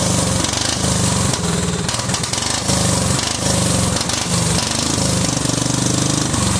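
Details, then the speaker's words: Cub Cadet 2130 lawn tractor, just started: uneven chugging idle surging and sagging every second or so; fuel system full of water and rust, owner suspects water in the carb bowl starving it. "I think that's probably why it's running like crap is because I think there's probably water down in the bowl"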